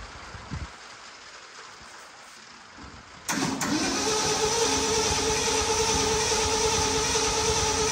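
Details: 1967 Ford F100 that sat 28 years, cranked with some gasoline poured in. Starter spins the engine over at a steady three beats per second but it never fires, and hot wiring is being sorted.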